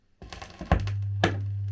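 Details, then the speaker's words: Turntable with a cheap remake stylus: after a couple of thunks, a strong, steady low motor hum, felt vibrating through the tonearm. Motor rubber mounts are worn and need replacing. "also the the motor is very audible i can actually feel it vibrating in the arm listen"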